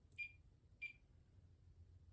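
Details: Kenmore Sensor Sew 70 (model 385.1950280), brought in locked up and not turning, motor suspected; first power-on test before teardown gives two short clean high beeps about half a second apart; electronics power up normally.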